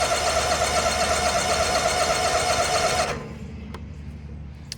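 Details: John Deere X304 lawn mower with 412.4 hours, sat about two years with likely stale gas, cranked at full throttle and full choke: steady starter churning about four per second for three seconds, never fires. Cranks but no start.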